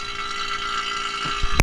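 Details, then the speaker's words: Ford Excursion 7.3 A/C system after a condenser replacement and variable orifice tube install: the vacuum pump has reached deep vacuum and runs quiet with a steady, even hum and faint whir, no labouring. "Okay, now as you can hear, the vacuum pump is quiet."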